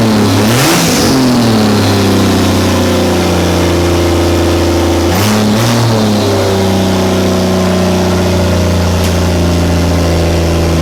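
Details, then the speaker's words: Barra T turbo engine in Toyota Landcruiser, just after first start, throttle pedal check: steady idle then two clean blips rising and falling smoothly, no misses or knocks; normal revving. "so fired up well for the first time we're just going to fire it up again and check that the throttle pedal's working yeah you're good yeah"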